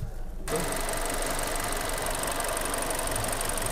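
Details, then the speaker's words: Kia Sportage G4NA after engine rebuild (new bearings, chain, oil pump, thrust washers, plugs), first cold-weather start: smooth even idle with light fast injector ticking, no shaking or knocking. "слышится как работает двигатель сок вот это форсунки работают хорошо ровно не трясёт и не колбасит"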